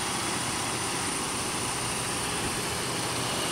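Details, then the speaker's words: Third-generation Jeep Grand Cherokee 3.7 liter V6, 146,000 miles: quiet, smooth idle under background hiss, no ticking or knocking, runs extremely well; normal idle. "with 146,000 miles this one runs extremely well it's actually really quiet I think it's a nice sounding engine"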